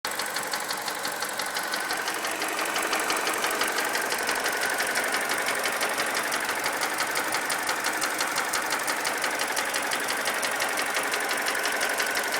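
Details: Mini Cooper N12 engine at idle, about 300 miles after retiming and a new timing chain tensioner: loud steady metallic knock just under three per second, grown worse over time; deep internal knock, rod knock suspected, unconfirmed.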